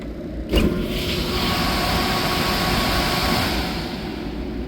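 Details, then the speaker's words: Rheem 10-ton rooftop AC unit brought in for not cooling, started manually by closing the contactor with a screwdriver: a contactor clunk, then a smooth, even hum and fan rush with no rattle or squeal, running normally. "trabajando perfectamente bien"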